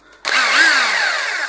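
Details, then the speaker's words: Makita HR 2450 rotary hammer (Master Danilo P 26-8 R copy) after replacing the mode switch plate, running in hammer-only mode without rotation: steady motor whine with busy, even rattle, no faltering or grinding; all modes work normally. "сейчас работают с ударом удар без вращения все работает"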